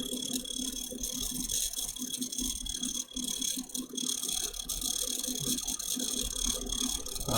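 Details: Custom watercooled PC (MSI Z390, i9 9900k, 2x RTX 2080 Ti Sea Hawk, EVGA 1000 W PSU, EK RGB fans) at first power-on: fast dry rattling ticks over high fan hiss, like a blade catching; cause suspected, not confirmed.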